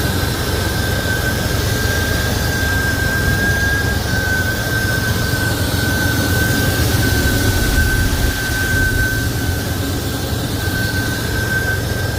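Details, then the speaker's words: Buick Grand National with a 37-year-old turbo engine, new turbo and hotwire, freshly upgraded and tuned: strong, smooth, even idle rumble with a faint constant turbo whistle, no knocks or misses; normal healthy idle. "Love how it sounds, man."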